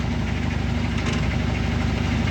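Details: Washing machine that scraped while washing, after its legs were removed and the rubbing bottom panel fixed: steady low motor hum with an even churning pulse, no scraping or rubbing; agitating normally, noise gone.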